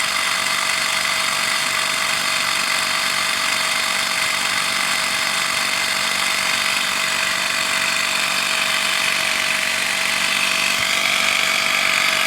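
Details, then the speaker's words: Small portable tire inflator set to 26 psi: high, buzzy steady drone with no change in effort or rhythm; sounds like it is freewheeling and reading only about 13 psi, not building pressure, cause unconfirmed. "it kind of sounds like it's freewheeling but it did go up for a second to 13.5"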